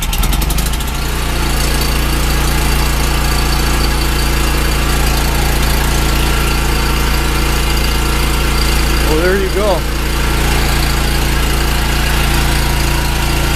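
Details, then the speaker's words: Generator, checked about a month earlier, oil added to its gas: engine catches within a second and settles into a steady, even hum with no misses or surging; running healthy. "I got some oil in this gas too, so it starts up like that. The engine's actually really good."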